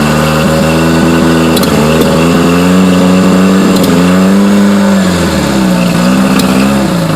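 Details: Yamaha four-stroke with carburetor misfire: uneven idle that stumbles and stutters as it revs up and settles back, a rough misfiring beat; cause suspected, not confirmed.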